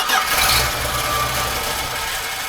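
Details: 1980 Dodge D150 after a new fuel filter, with fuel poured down the carburetor: a short burst of cranking that fades without catching, then it dies, possibly while the float bowl is still filling; the cause is suspected, not confirmed.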